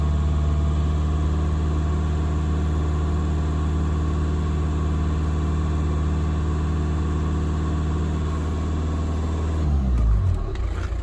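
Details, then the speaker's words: Car on a roadside call for a crank no-start, charging test at idle after the battery load-tested good: steady, even low idle for about ten seconds with no misses or knocks; alternator and battery check out normal. "normal everything checks out alternate Divine battery seems fine"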